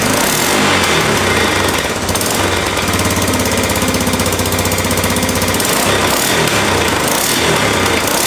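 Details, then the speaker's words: 1988 Honda 4x4 ATV, first start after a clean carb and new CDI box: the single-cylinder idle has a sharp, quick puffing chuff about four times a second from an exhaust leak; otherwise it runs and idles well. "Got an exhaust leak. That's awesome! It already runs!"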